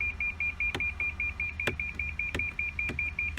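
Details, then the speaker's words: 2014 Lexus LS460, flooded in Hurricane Harvey, won't power up with start button; with foot on brake a rapid high-pitched beep, about five per second, sounds while the car stays dead; cause unknown. "I'm going to go ahead and put my foot on the brake. You hear that beeping noise? I'm not really sure why it's beeping when I push on the brake."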